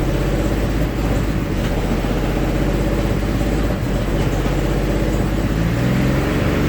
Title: GM 3800 Series 3 running rich and misfiring